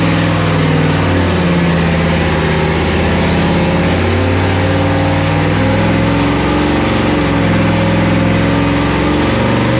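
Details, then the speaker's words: 1995 Pontiac Firebird (Firehawk) LT1 V8 run hard in a torture test with oil and coolant drained: deep, rough pounding under the exhaust note, a connecting rod knocking really badly. "It has a sounds like a a rod knocking really bad. So, we're going to torture test."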